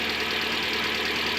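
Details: Hyundai ix35 G4NA engine, about 140,000 km, first start after rebuild for knocking and scuffing (bored, oil jets fitted): steady, even idle with a light, fast valvetrain tick and no heavy knock; runs well with good oil pressure.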